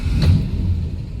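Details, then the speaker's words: Warm 1959 Alvis TD21 Series 1 with the Austin Healey 3-litre six and 4-speed manual: a brief crank, then it catches cleanly and settles into a smooth, even low rumble, with the cooling fan whirring; a normal start. "Starts nicely, and it's the Austin Healey 3 litre 6 engine in it, which does make a pleasant sound."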